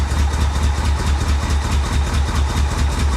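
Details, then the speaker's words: Flood-damaged Corvette revived: deep lumpy idle with uneven thumps and popping; owner suspects timing, fuel or swapped plug wires; rough running with popping misfire. "I don't know she sounds like she tries so hard to run better you can hear it popping"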